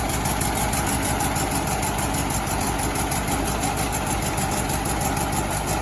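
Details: 1968 VW Bus air-cooled flat-four after rebuild, valves/rockers adjusted and distributor set to cure earlier clacking: steady, even idle with soft regular chuff, no clacks, misses or backfires; healthy.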